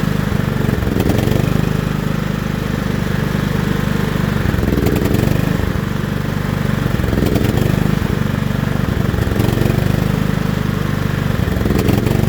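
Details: John Deere L110 lawn tractor that sat 3 years: small engine runs at a steady, even putter with no misses or surging; clean healthy run.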